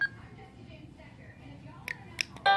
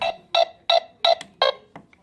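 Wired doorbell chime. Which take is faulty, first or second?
second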